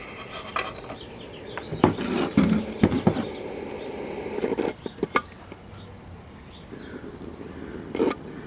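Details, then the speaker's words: 1969 RCA KCS178A black-and-white portable tube TV, recovered from a desert dump, powered up to check high voltage. Irregular sharp snaps and crackles over a faint hum as something inside arcs. "yeah there was high voltage and then something started arcing I hear it somebody is very unhappy"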